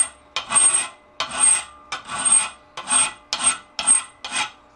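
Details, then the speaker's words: Filing a butcher chasing tool held in a vise: seven rasping file strokes about every 0.6 s, each with a high thin squeal as the thinned edge chatters, setting up harmonics. "So you can hear it start to get that little squeaky effect. That's because it's getting down to where it's thin and it start getting the harmonics going there."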